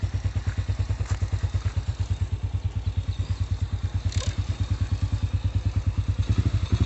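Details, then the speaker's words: Honda Astrea/Supra single after its loose camshaft seat was repaired: a quick, even putter with steady beats and no tapping or rattle, now idling smooth and quiet. "Sekarang sudah halus. Tuh, suaranya adem banget."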